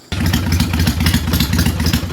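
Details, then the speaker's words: Kawasaki Vulcan 800 carbureted V-twin after raising the idle speed screw: steady even beat at slightly raised idle, no misses, though throttle response becomes boggy; normal idle. "so that's a little bit higher there sounds a little bit better but that makes the throttle response boggy"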